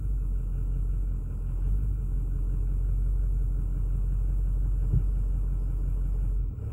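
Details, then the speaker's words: 2008 Ford F450 6.4 Power Stroke diesel, fuel filters replaced: idle rumbles and stumbles unevenly on its own with no throttle input, worse cold but also hot; intermittent no-start and no throttle response, cause unknown, wiggling wires had no effect. "oh now we're stumbling again i'm not touching the accelerator that's just doing that on its own"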